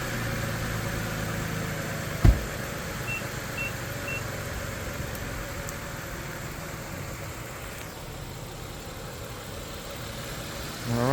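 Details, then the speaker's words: 2008 Nissan Pathfinder LE V6, about 1,000 miles after replacing all spark plugs and the cylinder 6 ignition coil for a cylinder 6 misfire: quiet, steady low idle with no stumble or knock. It sounds smooth and healthy. "right so as you can hear it sounds really good so I'm happy about what we did"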